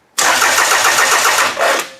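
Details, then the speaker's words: Toyota engine in a demolition derby car on a standalone harness: the starter cranks steadily but the engine never fires. There is no spark, or spark only after a delay with the computer on; the cause is unknown despite many parts replaced. "off computer off now I have no spark isn't that the weirdest thing it is like a delayed a delay in getting the engine to give spark I've never seen anything like this before"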